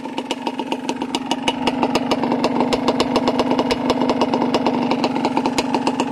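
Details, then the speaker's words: Two-stroke engine, warm, after being cleared of oil-logging and now barely smoking: a quick, even crackle ticking over steadily with no stumbles or misses. It is idling normally. "Let's just admire a little bit of this two-stroke sound."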